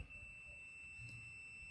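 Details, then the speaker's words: Honda Vario 125/150 ECU checked with a multimeter: steady, unbroken high-pitched continuity beep on the coil (spul) number one pin. The ECU is shorted inside, causing the 25A fuse to blow. "Nah, kalau bunyi satu ini tetap rusak ya ECU ini ya. Apalagi kalau bunyi semua."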